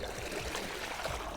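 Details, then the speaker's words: Maytronics Dolphin pool robot after impeller motor repair with rebuilt half motor (new seals and bearings), 24 V supply, running in water: steady churning gurgle over low even hum, driving forward; impeller running normally. "Let's see if it runs in the water. It's going forward. The impeller is running."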